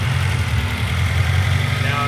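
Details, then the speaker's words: Honda CR-V with misfire, throttle cable adjusted to keep it running, idling around 1,500 rpm: low idle that sags as if about to die, audible misfire, vacuum gauge wavering; unstable idle, vacuum leak suspected. "now the gauge is starting to go a little weird. So, it's not staying idle. not staying at idle very well."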